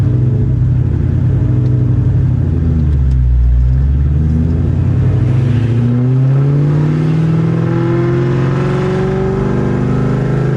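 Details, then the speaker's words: Cold start of a car newly fitted with a Whipple supercharger while still on the tune for a ported Eaton: idle swells and sags every few seconds, revs hunting up and down; surging from the mismatched tune, though it runs better than before. "so it's power surging quite a bit because we're still tuned for ported eaton but we're on a whipple i can tell it's running a lot better but it definitely needs a"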